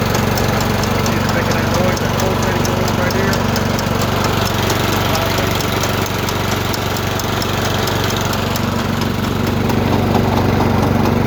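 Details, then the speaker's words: Troy-Bilt riding mower in drive with brake released, pedal pulsating: engine idles steadily while a light ticking pulses two or three times a second; worn, heat-damaged drive belt (754-0468/754-0467) is the cause. "If you ever have a machine that's doing that right there, I'm going to show you what the problem is. It's going to be your belt."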